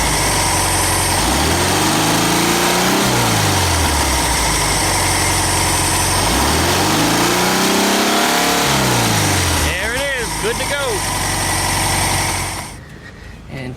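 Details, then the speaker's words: VW Super Beetle air-cooled engine with new distributor, idling before timing-light check; even, steady idle with a smooth rhythm and a couple of clean rises and falls in revs, running healthy. "you could probably probably leave it running indefinitely at idle long as you don't start revving a crap at it or something you're going to get it hot"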